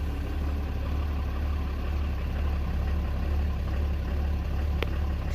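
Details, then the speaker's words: Ram 3500 diesel just after replacing fuel filters and priming by key cycling: deep idle with slightly loping uneven beat as the filter housing still purges air, then levels out; uneven idle from air in fuel. "It's still pumping fuel, as you can hear how it's running. The fuel filter housing is still trying to prime the air."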